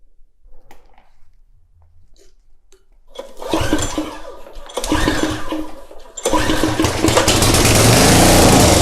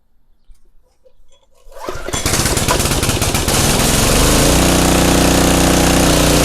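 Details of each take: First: Craftsman pressure washer, 5.5hp Briggs and Stratton Intek 190, with fuel poured down the plug hole: cranks, catches on the primed fuel and runs in short rough bursts before dying; fuel from the carburetor not reaching it. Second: Craftsman pressure washer, 5.5 hp Briggs & Stratton Intek 190, gifted as non-running: quiet two seconds, then engine catches and settles into a steady, even chug under pump load with no misses.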